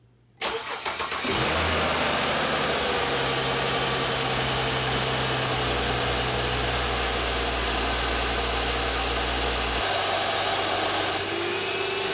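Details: Mercedes E350 after a valve cover gasket replacement (bolts torqued to 10 ft-lb), front cover off: engine catches quickly and settles into a smooth, even idle with a steady hum and no knocks or ticks; no leaks, repair fixed.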